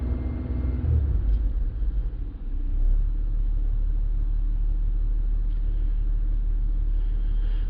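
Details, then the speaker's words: 2009 Buick Lacrosse at idle, watched on live data with an Xtool D8 scan tool: after a brief disturbance the engine settles into a smooth, even low rumble with no stumbles or ticks; a healthy idle. "this engine is running pretty good so i don't know if there's going to be any any misfires noted here"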